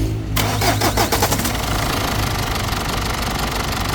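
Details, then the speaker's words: Mazda BT-50 / Ford Ranger diesel pickup after injector repair and return-valve replacement: cranks briefly, starts easily and settles into steady idle with no knock; previously hard starting with injector knock. "เดี๋ยวเราจะลองสตาร์ทอีกทีนะครับว่าหลังจากทำการแก้ไขไปแล้วเนี่ยอัตรามันหายไหมอ่ะลองสตาร์ทรถก็ติดง่ายไหมมีเสียงเขกอีกไหม"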